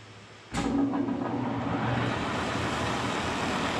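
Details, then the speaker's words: Kearney & Trecker milling machine first run after flushing the knee with kerosene and filling with oil: motor kicks on to even steady gear whir, no knocking or grinding, much quieter with oil circulating. "Alright, so with oil in this thing, it sounds so much quieter to me, which makes sense."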